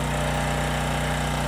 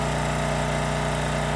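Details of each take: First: Homelite 5000 W generator with 9 hp Subaru engine under 2500 W load: steady engine drone at constant speed with no misses or surging, though it got loud and almost sounds like knocking; 13% THD; running fine. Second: 5000 W Homelite generator with 9 hp Subaru engine at 2500 W half load: loud steady drone with harsh rhythmic rattle; owner first thought knocking, then suspects something vibrating on the machine rather than a true knock.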